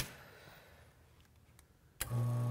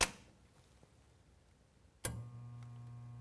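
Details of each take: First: Espresso machine rotary pump that had seized and only hummed, after freeing its shaft by hand: near silence, then the pump kicks in with a steady, even low hum and runs freely; normal rotary pump running. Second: Expobar Brutus espresso machine: a click, then a steady low hum as the rotary pump motor gets power but won't turn to fill; likely bad pump bearings or scale seizing it.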